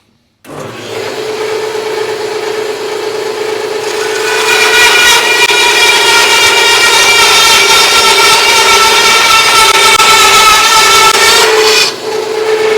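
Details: Harbor Freight bandsaw with upgraded Leeson 1 hp 1725 rpm motor, belt moved to the third pulley step, one-inch speed test cut: steady motor hum and bright rasping cut with an even tone; blade speed holds under load.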